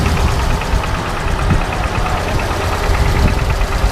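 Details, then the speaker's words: 1936 Ford Model 68 V8 sedan, revved slightly: deep rumble with a faint quick puffing tick on each firing pulse from a small exhaust leak; some valvetrain noise also noted. "you can hear that little bit of an exhaust leak uh as well"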